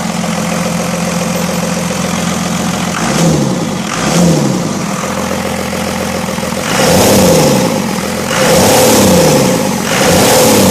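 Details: 1st-gen Cummins 12-valve diesel first start after rebuild following wreck, AirDog lift pump freshly wired: cranks, fires, settles to steady clattering idle, revs up and drops back cleanly several times; running healthy.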